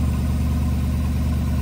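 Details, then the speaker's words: 2009 Chevrolet Silverado 4.8 V8 after starter replacement: deep, steady idle with even low rumble, no more clicking or tapping; the bell-housing tapping came from the worn-out old starter hitting the flywheel. "that's what we like to hear there's the whole problem guys it's a war out starter"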